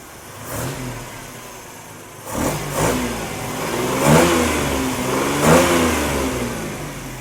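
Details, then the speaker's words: 1971 Jeep CJ5 V6 with Amazon carburetor, just reassembled after a power valve repair: the engine blips up cleanly a few times and settles to a steady idle with no misses or knocks, so it runs normally. "Okay. Sounds pretty good. Say we take her for a spin."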